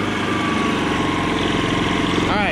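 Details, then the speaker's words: Kipor IG3000/IG3500 inverter generator fitted with a Champion inverter board, testing throttle wiring: steady running then clean speed rise near the end, throttle works in both directions, no hunting; normal throttle response. "great it works in both directions"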